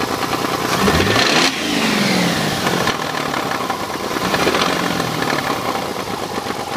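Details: Mazda RX-8 rotary engine revving up and falling back with a raspy, uneven roar and rattly edge; abnormal engine noise, cause not identified.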